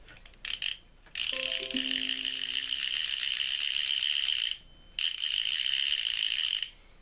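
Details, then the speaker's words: Ocean City 920 level-wind fishing reel after cleaning, lubrication and reassembly, with a cracked side plate; loud rapid high-pitched clicking in two bursts as the spool turns, clicker working properly but adding winding resistance. "That is a very loud clicker. It also adds a fair amount of resistance to being able to wind this thing."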